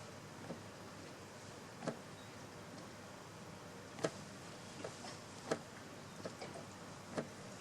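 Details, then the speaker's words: 2013–2018 Kawasaki Ninja ZX-6R rear wheel bearing at 40,000 km: sharp single knocks as the lifted rear wheel is dropped back onto the stand, rotor shifting against the brake pads; collapsed or nearly collapsed bearing needing replacement. "there is 40 000 kilometers on this bearing and it needs to be replaced this is how collapsed bearing or nearly collapsing bearing sounds like"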